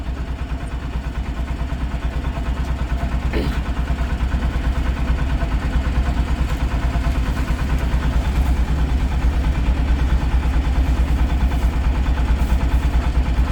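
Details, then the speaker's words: Mahindra Jeeto diesel after a no-start code was reset with an MX900 scan tool: the engine starts and idles with an even diesel clatter of about two beats per second and no misses or knocks, running normally. "गाड़ी को start करता हूं गाड़ी मेरी complete गाड़ी start है देख सकते हैं"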